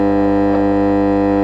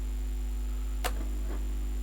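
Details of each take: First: 1969 HMV transistor record player switched on after new mains cable fitted: loud constant low hum with steady buzzing overtones, no music; bad mains hum, owner suspects power supply or smoothing capacitor fault. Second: 1969 HMV transistor record player after replacing the rectifier smoothing capacitor, powered on at full volume: one click, then a faint steady low hum; very little residual hum, acceptable.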